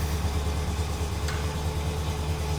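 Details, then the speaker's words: 1972 Rover P6 V8 winter warm-up in storage, low on stabilised fuel: quick even low thrum, steady beat, no misses, settled on choke at a slightly fast cold idle; firing up nicely. "firing up nicely we're on the lower end of fuel"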